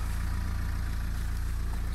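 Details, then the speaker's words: Small tractor/car engine just started with clutch pressed, offered for sale: steady low even idle after cold start, smooth firing, no knocks or rattles, owner says timing sounds good; normal healthy idle. "Pornește. Sună destul de bine."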